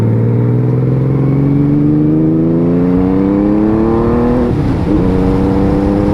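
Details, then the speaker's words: Honda Valkyrie 1500 after full engine rebuild, new battery, barely ridden in 7 years, road test accelerating to about 60 mph: smooth, even note climbing steadily through the gears, no knocks or rattles; healthy engine pulling cleanly. "doesn't that sound sweet when she pumps up? Oh God! And that was to only 60 mile an hour."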